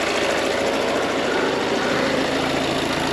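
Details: Peugeot Partner 4x4 (Dangel) 1.6 HDi diesel after EGR valve replacement: steady harsh, gravelly rattle at idle, audible outside but not inside the cabin; the vacuum pump in the oil pan is suspected but unconfirmed, and it is not being replaced.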